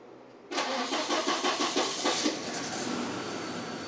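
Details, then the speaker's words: Volvo 240 first start after months off the road for water pump, timing belt, thermostat, B cam, adjusted shims, Redblockpowered ECU/EZK and new mounts and hoses: cranks briefly, catches first try, settles to nice even firing pulses, nothing leaking; normal start. "I don't understand how this is just working. There's nothing leaking. Nice even pulses."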